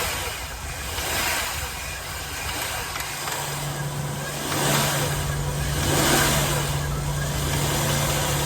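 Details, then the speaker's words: Jaguar X308 XJ8 Sovereign 4.0 V8 automatic LWB, after serpentine belt replacement (old belt caught just in time): steady, smooth V8 idle with a brief gentle rev and settle, no belt squeal or chirp; normal idle with light rev. "Let's uh start her up. I'll have a listen to her. That's all it's all sweet as a nut now. Just rev it up a little bit and see."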